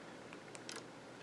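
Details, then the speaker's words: iPhone 13 Pro Max, quiet room: a couple of sharp shutter-like clicks when the side button locks the screen, a sound from the phone, not the button; lock click sound enabled. "do you hear that click it's like click click click it's almost like a shutter click"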